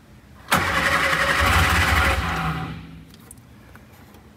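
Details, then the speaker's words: Shorrock-supercharged Austin Healey Sprite first start attempt, oil pressure and fuel confirmed, spark plugs refitted: about two seconds of steady cranking with no catch. "all right let's turn the key on and see what happens see if it starts or not that sounded like it wanted"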